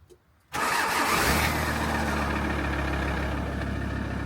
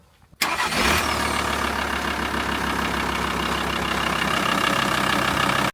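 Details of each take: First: VW T4 diesel van starting in winter (early January): starter spins with high thin whine for first second, then engine catches and settles to idle; starter suspected overspinning/failing, replaced regardless. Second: VW T4 diesel van after starter motor replacement (3-bolt job; old starter was failing): short clean crank, engine catches and settles into even idle with no whine or overspin, starter engaging properly; normal cranking and start.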